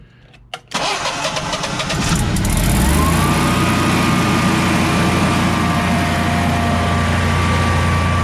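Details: Generac Guardian 16kW standby generator, refurbished after exploded battery, running on gas with close to 6,000 W of heaters: cranks, catches at once, settles to steady even drone with faint whine, holds speed without hunting; didn't even hesitate under load, healthy.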